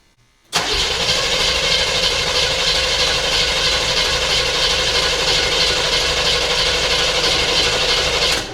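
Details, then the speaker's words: 1975 Chevy Monza 2+2 with 350 small-block V8 swap, sat about 20 years: catches and roars briefly with rough uneven beat after sprayed brake cleaner while carburetor bowl fills; apparently firing on the spray, not its own fuel, cause unconfirmed. "Wow. Okay, now it might have just been firing up on whatever was left that I sprayed in there."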